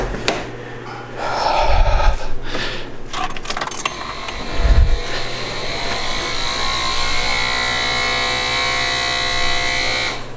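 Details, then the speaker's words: Smart ForTwo Electric Drive, 11 years, over 100,000 km, brake vacuum pump previously failing intermittently; electric hum rises as full vacuum builds then shuts off cleanly; working this time, owner suspects ageing pump jamming occasionally. "look at that generated full vacuum triggered the shut off"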